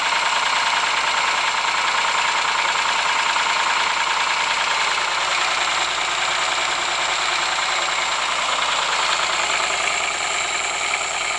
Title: Стук двигателя Ford Sierra